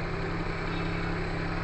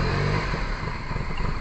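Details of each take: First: Perodua Kancil after a carburettor change: smooth, steady idle hum with an even low drone, no knocking and no missed beats; the engine idles normally. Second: Perodua Kancil after a carburettor change: starter churns for several seconds, stops, then cranks again in bursts without catching, a long crank with no start. Owner suspects timing needs adjusting, possibly valves, and checks whether fuel sprays into the carburettor while cranking.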